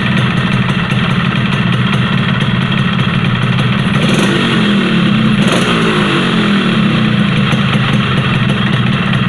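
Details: Yamaha RX-King two-stroke: raspy idle and brief rev with a rough ticking in the beat, a loose worn piston slapping the bore; fix planned is pressing the piston to fit tight again, no boring or oversize.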